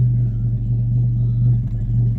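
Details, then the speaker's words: Classic car with points ignition just started and still cold, after the plugs were overhauled and the points gap reset. Idle is slightly raised with the choke pushed only partly in, as far as it goes without stalling. Low, steady, even rumble with no exhaust popping, much better than before. "sounding all right there. That's as that's as far as I can get the choke in at the minute without it stalling."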